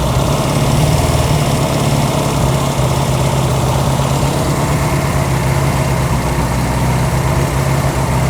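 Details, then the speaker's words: Honda CB200 with aftermarket carburetors after carb adjustment: starts right up, idles well but rises and falls slightly in speed, then a backfire and one cylinder suspected faulty; mild surging idle. "bike turns right up. Turns right on and it idles good. It's kind of surging a little bit there"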